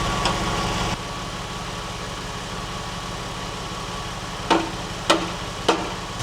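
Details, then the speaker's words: 1999 Porsche 996 911 flat-six idling: light tinny buzz over firing pulses with sharp blips, noticed off throttle; exhaust rattle like thin sheet metal, heat shield suspected touching muffler. "Well, it sounds like it's thin thin sheet metal. Yeah, >> which that would be the only sort of bit >> like any of the heat shields are touching the muffler."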